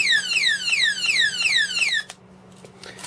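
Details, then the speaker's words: E-bike anti-theft remote control alarm being tested after wiring up, before fitting to the bike: relays click, then shrill falling whoops repeat about three times a second for two seconds, then silence; siren working normally. "you can hear the relays going the box I'm guessing this the lock the wheel and then you get the alarm back"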